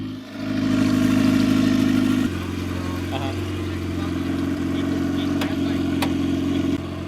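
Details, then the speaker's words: Rebuilt budget turbo Honda Civic on its first start after two to three months of work: it blips up, drops back, and settles into a steady, even idle with no knocks or rattles. It sounds healthy. "Oh, she is purring. That sounds sick."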